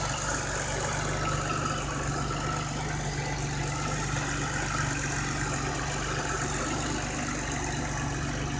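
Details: 1988 BMW E28 535is with new intake gaskets and vacuum lines, smoke-tested with no vacuum leaks: steady, even idle with smooth low hum and no hiss, stumble or misfire; healthy engine.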